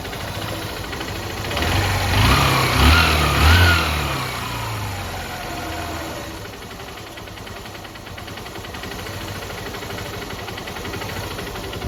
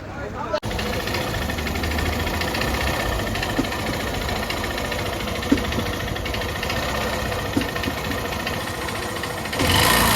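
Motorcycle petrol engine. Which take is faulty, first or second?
second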